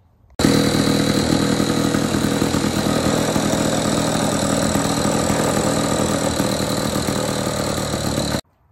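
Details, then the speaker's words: Lawn Boy 3050 two-stroke mower (believed 1959), fitted with its own original reed valve plate, runs with a steady, even buzz, no misses or surging; engine running good after will-it-run revival. "but yeah it's running good so next thing will be to clean it up and get those new wheels on"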